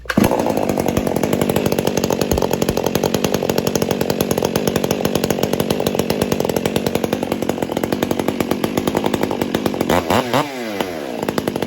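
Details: Newly rebuilt Stihl 400 chainsaw after owner installed upgrades and a chain catcher: crisp, high two-stroke scream holding an even speed, then dipping and recovering cleanly near the end; runs strong and healthy.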